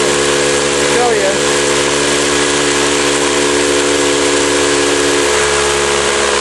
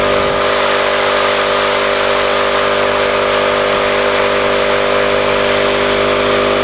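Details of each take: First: Campbell Hausfeld 20-gallon oil-less air compressor that won't build or hold tank pressure, with no leaks found: steady motor drone and a constant airy hiss at the outlet, pushing little air and weak enough to block with a thumb; worn compression ring. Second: Steady, even motor drone and constant hum from a 20-gallon Campbell Hausfeld oil-less air compressor, stopping briefly then restarting smoothly; running acceptably after repair, though the motor mount and compressor tube still need attention.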